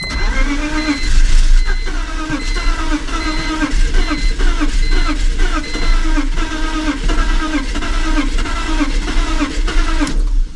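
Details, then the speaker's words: Cheap BMW project car that ran when parked: long, rhythmic cranking with occasional firing that almost catches but never runs, and a fuel smell. "I just sat here cranking the car for a little while cuz it used to run when he first parked it so I just was like well let me stop being scared and just [ __ ] sit here and crank it and it was getting there like it was almost running"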